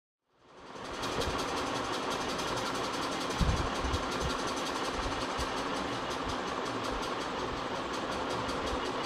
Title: Ceiling Fan Bearing Sound Problem #shorts #ceilingfan #fan